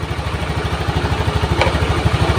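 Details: Honda Beat injection scooter with dead electrics and no ignition, fixed by repairing faulty wiring and fitting regulator, weak battery: steady even putter about eleven pulses a second, idling smoothly; charging measured 12.56 V.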